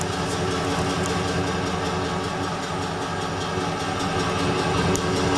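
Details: Ford F150 5.4L 3V Triton V8 at idle and rev: uneven idle with fast loosely regular tick; misfire fixed by mechanic replacing two or three coil packs and a couple of spark plugs, ticking gone, power regained.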